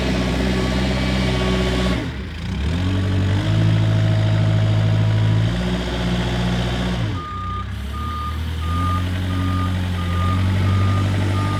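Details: Kubota 520 hydrostatic wheel loader, tested at the pile after a wiring-harness repair for being stuck in low range. The diesel rises and settles smoothly with load, then the reverse alarm beeps steadily about twice a second; the hydrostatic drive sounds healthy.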